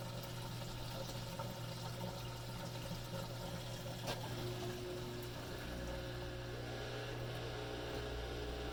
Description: Machine will do its pump cycle and "start" the wash cycle (wash mode indicator solid) but machine never fills or progresses.